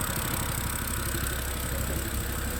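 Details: 2011 BMW E90 M3 with lumpy, uneven idle and irregular low thumps suggesting a misfire. Check engine, ABS and traction lights are on, there is smoke from the rear, and the owner suspects a loose rear seal. Cause unknown.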